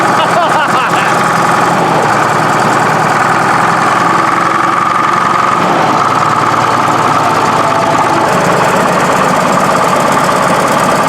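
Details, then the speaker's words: Case 1150B crawler dozer diesel, cold ether start at about 40°F after two broken injectors were replaced. Harsh, uneven, stumbling idle clatter, still as smoky as before. Owners suspect the new injectors aren't bled yet, so it may not be firing on all cylinders. "That's still pretty smoky. Sounds a little clacky too, I don't know. Does it sound clackier than it used to? Still just as smoky as it used to be."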